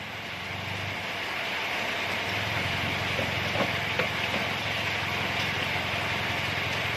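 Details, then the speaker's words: Toyota Yaris automatic after fixing a loose lower-arm bushing mount bolt that caused front-wheel clunks moving forward and reverse: even rolling and road rumble back and forth with no knock or clunk. Normal front suspension. "Alhamdulillah setelah perbaikan ee baut yang ngedol ini kita sudah pemasangan ini sudah gak bunyi ya kalau maju ya"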